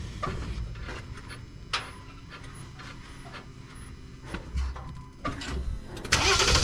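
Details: 2023 Jeep Gladiator Rubicon EcoDiesel after fuel filter replacement: short bursts of cranking, then the engine catches and settles into an even diesel rattle, starting normally once the fuel is primed.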